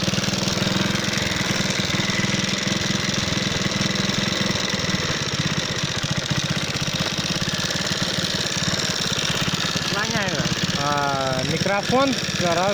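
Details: Alpha moped single-cylinder at idle, knocking after being run with oil at minimum: hard, rapid metallic clatter over exhaust beat. Owner suspects piston hitting valve (80%); possibly broken clutch basket; timing chain intact.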